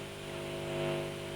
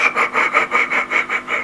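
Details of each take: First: 1955 Fender Tweed Deluxe amp, powered on, instrument channel, after replacing leaking non-electrolytic caps that put DC on the volume pot; only steady low mains hum, scratchiness gone; quiet volume pot. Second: 1955 Fender Tweed Deluxe amp, instrument volume turned up: rhythmic gritty scraping bursts continuous around the dial, then steady hum; diagnosed as DC on the pot from leaking non-electrolytic coupling capacitors, not a dirty pot.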